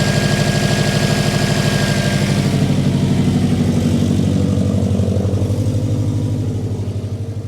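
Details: Subaru Impreza EJ engine after timing belt, water pump and radiator replacement, following an O-ring and coolant pipe clip fix that cured both issues. Even idle pulse about three beats a second, settling gently; smooth, healthy idle.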